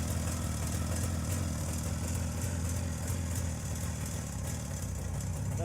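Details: JAWA 350 two-stroke that would not start, now on a rebuilt contactless ignition circuit replacing the cam points: soft, even low idle putter with steady beat and no misses or rattles.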